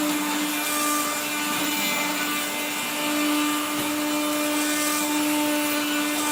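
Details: 1970s blue Regina Electrikbroom 3-speed vacuum vacuuming a floor: a steady motor hum with a harsh, gritty hiss over it throughout, from dry motor bearings grinding after someone washed the motor and fan.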